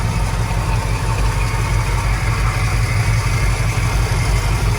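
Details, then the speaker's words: 1979 Ford Super Cab 4x4, 460 V8 with 4-barrel carb and dual exhaust, started cold at about 32°F: deep, even low rumble with a steady lope around three pulses a second, no knocks or misses; owner says it purrs; healthy idle. "But just listen to this motor. I mean, it just purrs like a"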